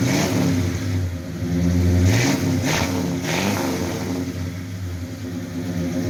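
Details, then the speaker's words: 1972 Ford LTD, 400 big block with stock headers and true dual exhaust, recently revived after sitting, no longer smoking: V8 rumbles at idle, blipped up and back twice, even firing with no miss or knock; healthy. "I'm going to start this Beast it is a 400 big block it's got true dual exhaust meaning it's not a y-pipe it's coming straight out of the headers"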